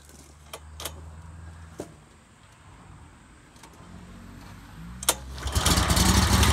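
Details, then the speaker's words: Scag 48-inch mower after oil change: after a quiet stretch engine fires and quickly reaches a steady even run with no knocks or misses; sounds much better than before. "oh my god it sounds so much better"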